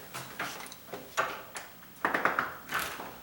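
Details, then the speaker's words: Exterior door closing with new weather stripping that sticks out too far at the top: soft thumps with short squeaky rubs where the seal catches the top of the frame. "But when this door closes, it hits right up there and makes that noise."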